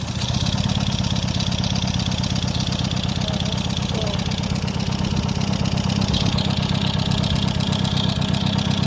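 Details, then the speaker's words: Newly installed used engine in a Peugeot on first crank, old spark plugs still fitted: idle with an uneven, loping beat about twice a second; misfire suspected, possibly from the old plugs. "Okay. Oh, the sound is the exhaust that is making that noise, not oh. I think it's misfire. Find out. It's misfire, no? It's a misfire."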